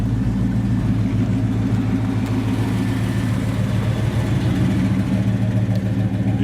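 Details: 1973 Chevrolet El Camino SS 454, 97,533 miles on the odometer, at idle: deep, steady burble from both exhaust pipes exiting behind the rear wheels, even beat with no misses or knocks; big-block V8 idling healthy.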